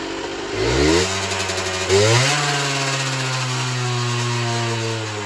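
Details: Generic Trigger SM 50cc two-stroke on a temporary fuel tub with a stiff temporary throttle cable: blips, then the idle creeps up and hangs high, uneven underneath. Owner suspects an air leak, later found around the intake manifold; main and pilot jets were also blocked.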